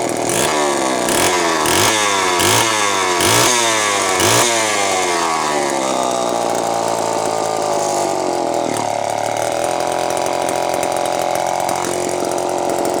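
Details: Terry-built Homelite chainsaw, unboxed and first run: two-stroke blips through several revs, then settles into a burbling, uneven idle, smoking; owner says carb way out of tune for fuel mix and elevation, running rich.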